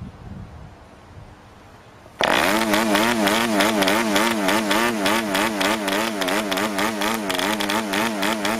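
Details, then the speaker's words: Brand-new PAW 40 TBR model diesel on its first run, break-in fuel mix, 12x5 prop, clamp mount: catches abruptly, then rough wavering tone with uneven firing and hunting pitch; running rich and under-compressed, easy starter. "oh that was rich and under compressed so i can see if i can fire it up again like"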